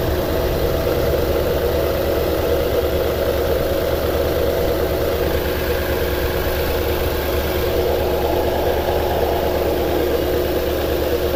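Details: 2009 Toyota Tundra 5.7L V8 at idle with codes P0300, P0305, P0307, misfire counts climbing, 4Lo and VSC/traction lights flashing: a low, uneven idle with an unsteady rumble and occasional stumbles from misfiring cylinders.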